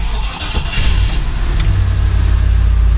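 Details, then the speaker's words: 1999 Land Rover Discovery after ECU/BCU swap and key fob programming to the new BCU, immobilizer not on: brief cranking flutter, catches quickly into a deep steady rumble. Normal start. "Alright, looks like it's working."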